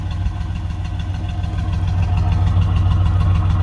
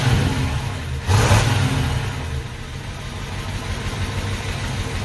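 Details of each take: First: 1968 Pontiac Ventura V8 after replacing the worn factory exhaust with a budget universal single exhaust and Thrush muffler, heard from outside: low, even burble swelling with revs, no rasp, leak or rattle. Sounds much better; normal exhaust note. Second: 1968 Pontiac Ventura on its original factory exhaust, which is barely hanging on and lets exhaust into the cab, before replacement: deep, loud rumble with a rev blip, then a raspy, uneven drone. Worn, leaking, noisy exhaust.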